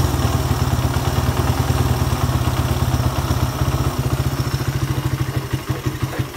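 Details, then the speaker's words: Suzuki Satria FU 150 after a ground wire was added from the black-white wire to the engine. It revs freely with an even firing beat and no bogging. The earlier refusal to rev was traced to the ground wire, possibly corroded, not the carburettor. "Oke, jadi masalah Masalah motor Satria yang susah digas atau enggak mau digas itu masalahnya ada di bagian ground-nya."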